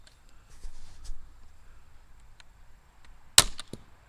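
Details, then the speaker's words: Slingshot crossbow with an experimental band setup meant to cut string/band slap: one sharp, loud crack with a short slap after; only slightly quieter. Trigger latch release suspected as part of the noise. "it quieted it up some I don't know if it's worth it though may just go back and put it on the other so I don't have to fool with everything else that was still pretty loud"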